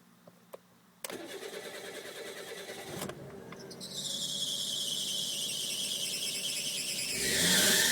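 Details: Suzuki Wagon R GF-MC21S at engine start: cranks, catches, then high-pitched squeal builds over idle, louder as it runs; fan belt replaced without fixing it, worsening daily, stops after revving or accelerating in D; owner suspects pulley; squeal at engine start.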